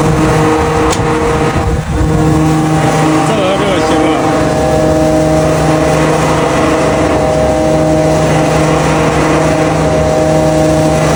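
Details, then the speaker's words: 130+ kW motor on 380 V star-delta starter, after replacing contactor coil with correct 380 V one; earlier tripping traced to loose wire connection: brief jolt then steady even hum, no buzzing or tripping; normal start. "This is normal This is normal. He has no problem with this control circuit."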